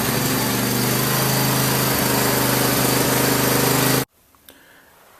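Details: Craftsman lawn tractor after no-start repair, idle over a year, full gas tank, warming up outside: single-cylinder engine holds steady, even beat at brisk speed until switched off; normal running.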